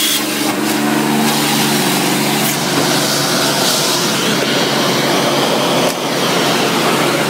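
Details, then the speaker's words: 1990 Electrolux 616 Electronic (Z616AE) vacuum cleaner, motor otherwise runs well: steady motor whine with a rough, gravelly growl and faint rattle underneath; worn brush roll bearings rattling and vibrating while using the tools. "the brush roll bearings um are a bit growly as you could hear them sort of rattling and vibrating away in the background when I was using the tools"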